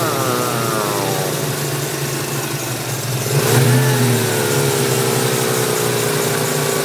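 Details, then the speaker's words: 1994 Mustang with intake, cam and exhaust, BBK throttle body: a steady whine over the engine that climbs in pitch with revs, recorded near the front accessories; owner suspects the smog pump and hears a squeak possibly from the tensioner pulley. "i feel like the noise is coming from down here i think it's the small pump i'm not sure but basically the noise is like a worm it sounds really"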